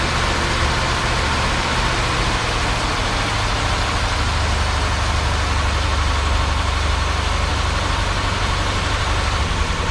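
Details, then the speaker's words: 1957 Chevy Bel Air, 327 V8 with TH400, farm field find revived, idle cranked up: slightly uneven lumpy beat over deep rumble; rough idle, owner suspects a vacuum leak at carb or a line, unconfirmed. "seems like there's a bit of a vacuum leak somewhere, so could be the carb, could be something like that, or it could be a line or whatever it may be, but it runs on its own."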